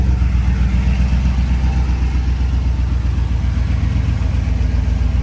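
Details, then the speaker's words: Rebuilt stock Tahoe V8 with BTR V2 stage 2 cam, LS7 lifters and long tube headers, stock converter: deep, even idle with slight choppy cam lope, settling down after start; runs clean and healthy, normal idle. "Super 10 in it. This sounds great too. There we go. The idle's coming down now."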